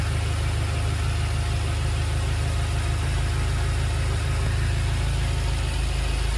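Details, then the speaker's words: BMW F10 M5 after new spark plugs and coils, loose coil connectors that caused cylinder 2, 3 and 4 misfires reseated and codes cleared: deep smooth steady idle with even low rumble, no misfire, no errors; normal idle. "Running fine so far, no errors."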